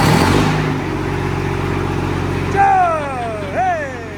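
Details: Freshly rebuilt 12.7 L Detroit Series 60 diesel, after electronic runaway traced to possible moisture arcing harness pin connectors and cleaned: steady deep idle with quick rising/falling whistles on throttle blips, great throttle response. Normal idle.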